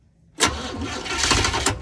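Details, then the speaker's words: Vehicle before road trip, coil change and timing considered, timing never adjusted: starter churns briefly, engine catches hesitantly and stumbles before running; slow hard start, cause unconfirmed. "this thing should start quicker than that all right you hear that yeah it was like it shouldn't do that"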